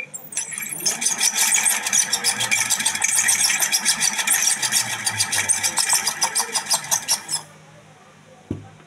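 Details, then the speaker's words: Ceiling fan runs with harsh, rapid creaking clatter, about three knocks a second, from a dry, damaged bearing with a loose shaft; heard before repair. "দর্শক কত বিরক্তিকর একটি আওয়াজ আসতেছিল শব্দ হচ্ছিল মারাত্মক একটি শব্দ হচ্ছিল এই ফ্যান থেকে"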